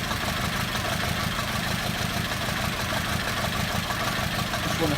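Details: VW Beetle 2.0 petrol misfire, intermittently running on as few as one cylinder: uneven, lumpy idle with irregular stumbling beat, roughly one or two stumbles a second; idle misfire.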